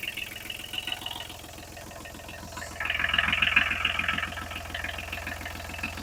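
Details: Kubota B7001 tractor diesel after replacing failed alternator that caused metallic noise, smoke and belt squeal, plus new radiator hoses and G11 coolant: steady even idle clatter, revs lift briefly and settle, no metallic rubbing or scraping.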